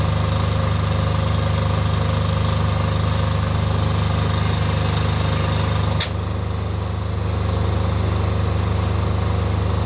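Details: Off-grid diesel generator after a service for fuel problems that made it cut out, final checks before load testing: deep, steady chug at an even beat, no stumbling or misfire; normal idle.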